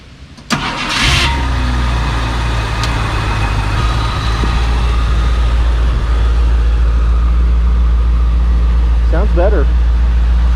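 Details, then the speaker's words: 1966 Ford Thunderbird V8 barn find, sat 32+ years, after cleaning the number eight spark plug that wasn't firing: cranks, catches, idles with uneven, slightly lumpy beat and a slight lifter tick; still a rough idle. "better i mean it's still a little rough and i hear a lifter take just a touch"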